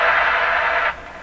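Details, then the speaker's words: Stromberg Carlson Model 515 tube radio on the 15 MHz shortwave band: harsh hissy scratchiness across the band that makes tuning tricky; suspected internal oscillation, source not confirmed. "So what that weird sound is, I don't know. It's definitely a strange thing. You know, at a guess, I would say, oh, something's oscillating inside the radio."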